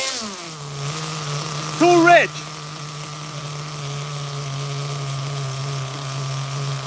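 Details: HPI Super Nitro RS4 Dodge Viper nitro RC car, cold engine at idle: steady low burbling idle with a slightly lazy, uneven beat; carburetor mixture too rich, then leaned.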